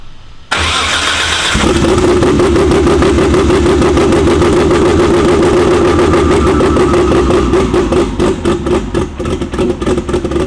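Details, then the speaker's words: BMW E92 Prospec build car at first start after the engine was reinstalled, exhaust not yet made: catches after a short crank and idles with a choppy, uneven lope and occasional stumbles. A slight misfire remains, not yet diagnosed. "We still got like a little misfire, but I'll dig into that some more and we'll get back to you when I fix that up."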